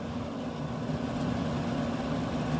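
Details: Camp Chef SE Smoker Pro after repairing auger that stopped spinning following rain exposure: steady even low rumble and fan hum, no knocks or rattles; smoker starting up and running normally.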